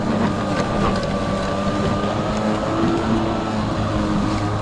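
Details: Kobalt 80V Max cordless lawn mower, used 4 years without issues, at high speed while mowing: quiet even motor hum, soft steady whine and blade whoosh, no knocks or rattles; noise mostly from blades; normal.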